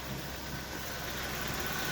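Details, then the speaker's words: VW Tiguan 1.4 TSI cold idle after new firmware disabled catalyst fast warm-up, fixing the cold-start misfire: quiet, even hum with no shake, stumble or skipped beats. "Ось таким чином ми побороли даний дефект. Машина у нас повернулась до правильного робочого стану."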